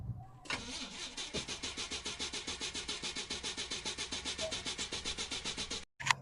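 The starter turns the engine briskly and evenly for about five seconds with no firing at all; it has plenty of crank but no fuel.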